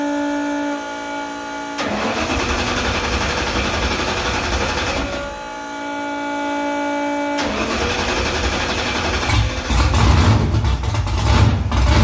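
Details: Car after header install and steering shaft conversion, first start in about three weeks with exhaust back on: short starter whir, then engine catches into a deep, steady, even burble that holds; runs smooth and healthy.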